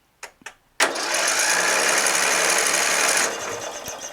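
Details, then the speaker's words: Murray LT widebody 40" lawn tractor, Briggs 12.5HP flathead, plug gapped correctly with good spark: starter spins fast and even for over two seconds with no compression chuffs; zero compression, engine feels loose. "spark good spark but zero compression zero just feels loose looks like it's gapped correctly"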